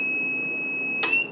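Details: Solar-system power inverter on a battery pack reading about 10.5 V, batteries expected at 13.5 V: steady high-pitched tone held about a second, then cut off; low input voltage alarm.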